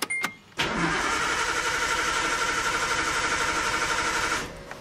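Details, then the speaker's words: Nissan RB20 engine in a 240, after Audi R8 coil pack conversion and vacuum line rerouting: starter spins at a steady, even crank about four seconds, no spark, not firing at all; failed ECU found as cause; crank no start. "absolutely nothing not even a smudge of start alright guys so a little bit of what's going on figured out what was wrong with the 240 and I'm gonna show you exactly what happened and why I wouldn't start"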